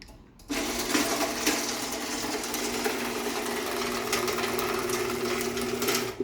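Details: Challenger garage door opener with rebuilt rail: steady motor hum with chain rattle runs evenly from start to stop, no straining or grinding; traveling normally, normal operation.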